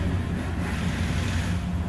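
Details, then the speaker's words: Old truck that used to stall unless the gas pedal was held, after cleaning a clogged throttle body and a dirty idle air control (IAC) motor and resetting with a DRB scan tool. It now holds a low, even idle on its own. Normal idle. "so now i can start the car and it idles on his own without me holding my feet foot on the gas pedal"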